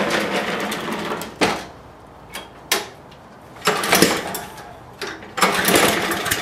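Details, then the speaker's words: Lawn mower, no start after cleaning water and dirt from the fuel bowl, air filter removed: repeated pull-cord rattles with no catch or firing. Spark plug to be checked next. "still the same okay let's check out the uh spark plug"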